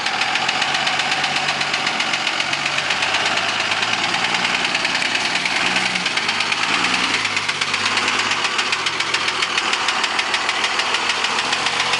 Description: this is a video of my 02 dodge ram with the engine knocking